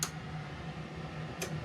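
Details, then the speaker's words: 2019 Ford E-350 ambulance with non-working aftermarket HVAC controls: grounding the white wire makes relays give two sharp clicks about 1.5 s apart over a quiet hum, and the roof lights brighten. "and you'll hear clicking and then the lights on the roof right here will get much much brighter heard the [Music] clicking now"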